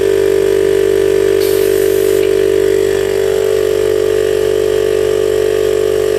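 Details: DIY 12V compressor on a recycled 40 L tank, big permanent-magnet motor drawing about 30 A, rated 72 L/min, pumping toward 100 psi. Steady hum, even pumping beat near three strokes a second, no knocks or rattles; normal running.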